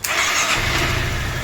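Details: Honda Forza 350 scooter after repair of an intermittent no-start, previously fixed by tapping or shaking (fuel pump repaired): brief crank, engine catches at once, steady low idle; normal quick start.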